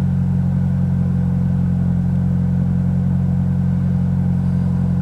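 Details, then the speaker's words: 2006 Toyota Corolla at idle on a 34°F day, after rear oxygen sensor replacement for P0037: a deep, loud rumbling drone, much boomier than normal, because the muffler broke off. "yeah you probably hear it's a little loud muffler decided to snap off last night so that's going to be your next video"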